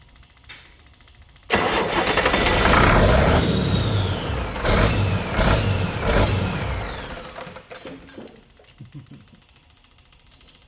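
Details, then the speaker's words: Detroit 40 series (rebranded Navistar DT466) generator turbo diesel, sat outside 5+ years: six seconds of heavy surging cranking on its own injection pump, won't start, injectors cracked to bleed air from fuel system. "In the previous portion, that was just strictly running on starting fluid, that was not running on the injection pump. So I'll set the camera up and we'll get cranking away on it and get these injectors bled."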